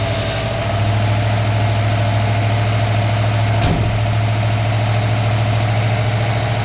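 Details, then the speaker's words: V8 cold start with its fan missing: steady, even low rumble with no misses, knocks or stumbles, and no smoke; normal idle. "A good running engine. You see it's not spilling the shop with smoke or nothing. It's a good running engine."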